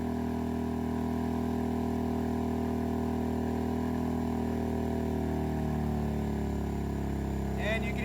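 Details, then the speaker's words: Pulsar GD400BN dual-fuel inverter generator on propane, third heat gun added past 3250 W to about 3300 W: steady hum sinks in pitch over several seconds as the engine bogs down; overload limit, struggling and walking across the driveway. "can hear it start to bog down so about 3 300 watts on propane it's about as far as I would want to take it"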